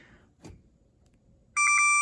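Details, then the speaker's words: Frigidaire oven in a quiet room: one shrill half-second beep with a quick warble, repeating about every 30 seconds. Phantom beeping from the buzzer on the faulty display/control circuit board. "either way it's it's still beeping and chiming every single 30 seconds or minute and I just can't have that"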